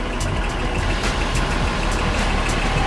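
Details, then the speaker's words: 2018 Range Rover HSE, 42,000 miles, salvage auction buy, first start: steady low rumble with even light ticking, no misses or knocks, settling into a smooth idle; sounds good but needs fresh oil and gas. "sounds pretty good. All right, we need to get some good oil in this thing and get some good gas in it. But encouraging, it did start and sounds good."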